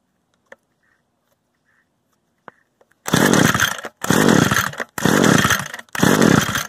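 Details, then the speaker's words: Used Echo gas string trimmer, choke on and primer bulb pressed: four raspy recoil pulls about a second apart, engine never fires; the stop switch had been left in the stop position the whole time. "You know, I had it on stop this whole time."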